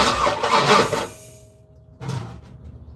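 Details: Third-gen (1982–92 F-body) Camaro, compression sounds good, starter fluid gave fireballs; starter churns in short bursts with gaps and never catches, a long crank-no-start. Owner suspects injector not working, no spark, timing off, or a bad ground; battery hot.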